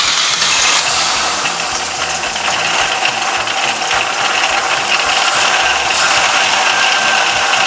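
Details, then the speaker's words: 1969 Volvo 142 S running with the belt fitted after fuel pump and carburetor repair; a fast, uneven, high-pitched rattling chatter rides over the engine; alternator suspected faulty, not confirmed. "oh yeah you need an alternator done so that's exactly what I was talking about"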